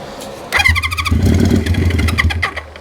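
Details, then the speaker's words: 1973 Honda CB350 Four, choked, on starting fluid after tapping stuck carb floats: ragged burst of firing for about two seconds then stumbles and dies; owner suspects clogged jets needing cleaning; brief firing then dies. "that is what about you guys but that sounded like it ran it is a little more of this that should be enough"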